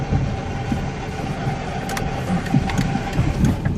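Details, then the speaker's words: 1999 Plymouth Neon Style, manual, idling in neutral with the clutch out: a faint steady whine over the engine that comes and goes, gone with the clutch in. Owner suspects a bad input shaft bearing in the transmission, unconfirmed. "the input shaft and the transmission has got a tossed bearing or something, making that horrible sound."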